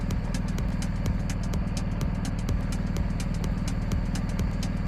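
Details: BMW R1250 GSA with hot-start no-start traced to weak battery (dropped to 9.62 V cranking), charging about 14.3 V at idle; even steady idle pulse, no misses; normal idle.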